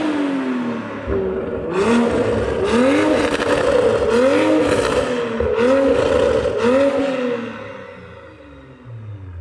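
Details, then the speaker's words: Toyota A90 Supra after installing a GTHAUS GTC exhaust in place of a MagnaFlow setup: clean, repeated rev sweeps during pulls and flybys, rising and falling smoothly with a crisp, even exhaust note and no rattles. "That sounds so good. Oh my gosh, that sounds so good."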